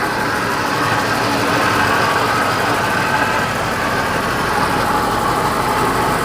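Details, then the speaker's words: 1956 Chevy V8 running as if on five or six cylinders with a backfire on throttle: lumpy, uneven idle with an irregular stumble in the exhaust beat; rough idle misfire, owner suspects spark plug wires too close to the header. "It sounds like it's got a misfire or so, but I wouldn't doubt it because some of these spark plug wires are pretty close to the header."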